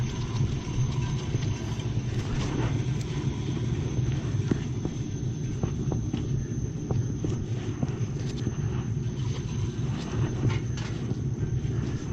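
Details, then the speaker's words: Hot water boiler heating zone tested after replacing leaking pinholed expansion tank with new Extrol tank: steady low rumble without gurgling, banging or surging, a little more air noted; normal running. "The zone sounds good. There was a little bit more air."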